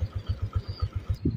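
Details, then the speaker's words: Suzuki Shogun SP (125) single-cylinder motorcycle, nearly 18–20 years old, after tune-up, service and replacement of failed regulator/rectifier and CDI. Exhaust sound praised: even deep thumps about seven a second, steady, no knocks or rattles: healthy idle. "Ini yang saya suka dari Suzuki shgun SP itu yang pertama bikin jatuh cinta yaitu suara knalpotnya itu sangat mantap"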